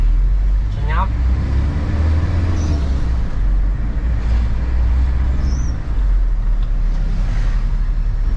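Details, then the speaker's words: 2003 Toyota Kijang Kapsul LGX 2L diesel after gear lever bushing repair, road test: steady low diesel drone, no rattle or buzz from the lever that previously vibrated above 2000 rpm; lever firm, no play. "Tapi ini bagus, tidak ada suara bising dan roda giginya terpasang dengan kuat tanpa ada celah."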